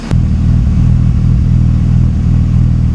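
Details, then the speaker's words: BMW E36 M3, cold, stumbles and bogs on light throttle with fuel mixture codes P1188 and P1189, spark plugs already changed; deep, uneven loping exhaust beat at idle; cause unconfirmed; lumpy exhaust note. "so it bogs down when I give it light throttle now listen to the exhaust"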